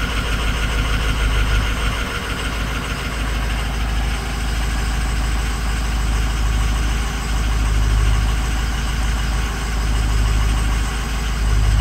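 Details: 6.0 Powerstroke diesel at idle with a bad #6 injector: an uneven, lumpy clatter with a periodic stumble in the rhythm, a misfire at idle.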